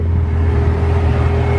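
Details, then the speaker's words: 1991 Toyota Supra Mk3 7M-GE non-turbo after alternator replacement: steady even idle, low drone, faint constant whine, no belt squeal; battery and brake warning lights now out, healthy normal idle. "And here's the ending result. No squeaking. Engine running perfectly."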